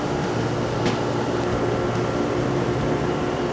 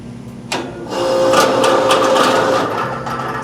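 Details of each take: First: Old Rheem-style AC condenser after fan motor replacement (new motor needed a capacitor, original had none): steady, even fan hum, slight vibration, no rubbing or rattle; running quiet and healthy. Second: Older Rheem-style AC condenser fan motor with no capacitor, loud enough to keep people up at night. Rough, uneven whirring with faint chatter about four per second as the motor slips on the blade; compressor sounds fine. Failing condenser fan motor.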